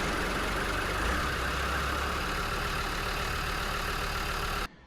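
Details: Land Rover Defender TD5 diesel, right after replacing all four glow plugs for hard morning cold starts: even diesel clatter at settled idle, no misfire or hunting; runs normally.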